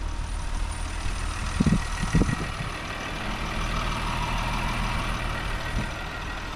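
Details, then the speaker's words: Engine in all-stock form idling, very quiet: low even rumble, no knocks, misses or rattles beyond a brief handling thump; normal idle, judged to need nothing. "yeah it's so quiet you can't even hear it's crazy you never think these cars like an all-stock form sound the way they do in the exhaust because they're just so quiet in stock for them"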